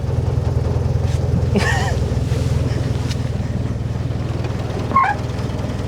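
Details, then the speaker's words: Modified UAZ 469, long stored, first start with ignition timing only roughly set and choke not fully pulled; quiet, even idle pulse about three beats a second with no knocks or misses; runs smooth; normal idle. "even sounds like it's running pretty good wow I do not expect that barely making any noise so for how rough these engines are made they are running surprisingly smooth and pretty quiet"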